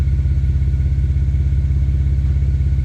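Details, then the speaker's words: Built BMW N54 335i at cold idle, stethoscope check for a suspected knock or turbo exhaust leak: evenly spaced exhaust pulses with no skips or ticking; owner says compression is even across cylinders. "the exhaust pulses from the exhaust and i think it's just this exhaust so it's consistent which means compressions even across the cylinders"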